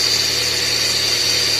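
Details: Idling car with a loud, steady high-pitched whine from a worn accessory belt pulley bearing; customer complained of the noise, the part was replaced with a new one.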